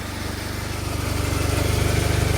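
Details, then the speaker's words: Smart Fortwo idling outdoors with the rear cover open: rapid even chuffing puffs that grow louder and sharper as revs rise slightly, a raspy flatulent note; definitely an exhaust leak. "exhaust sounding a little flatulant maybe but really just cuz we got the cover open I don't [Music] know oh that's definitely an exhaust leak"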